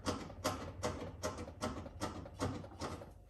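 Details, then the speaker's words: Blomberg RapidJET washer drum gives sharp regular ticks, about two and a half a second, when rocked by hand; worst on unbalanced spin ramp-up; owner suspects cables or something inside, unconfirmed. "if it is unbalanced and like the drum's like moving back and forth on the spin as it's starting to ramp up, then you can really hear that ticking"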